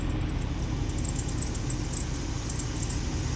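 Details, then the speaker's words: Jeep WJ hot after about an hour's drive: faint, quick high-pitched chirps repeat over the steady engine rumble from the lower accessory drive; the dry bearing was traced to the idler and tensioner pulleys, which were later removed for greasing. "Hear it? Little birdie in there. Little birdie. Sounds like it's coming from down yonder."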